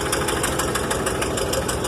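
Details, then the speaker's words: Rolls Royce in gear with brakes locked up, brake lights stuck on; throttle applied, engine held at raised revs with fast even ticking, straining as it tries to overpower the brakes. "I'm gonna flip the gas and see if I can get this thing bring it up so I felt it overpower the brakes right now"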